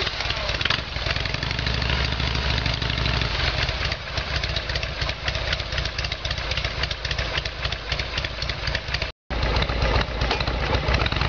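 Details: Harley Evolution Sportster V-twin after carburettor repair, idling after a cold start on choke: a loping, slightly irregular potato-potato beat that stays steady, a normal idle.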